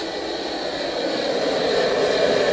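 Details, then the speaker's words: Homemade wood gasifier, upgraded to 3/4-inch syngas outlets, blower raised from 3/4 speed: steady rushing airflow growing louder as it speeds up, no rattles or squeals; gas flow normal. "anyways right up at about"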